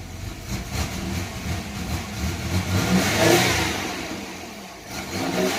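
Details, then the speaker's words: 1990 Chevrolet Lumina Eurosport 3.1 V6 being revved: a stumbling misfire that comes and goes and clears with throttle. The owner suspects a bad injector or fuel pressure regulator rather than a coil pack. "and there goes the misfire right here could have a bad injector still fuel pressure regulator because the way it misfires and clears up like that when you give it gas usually a bad coal pack will do it all the time not coming and going like that"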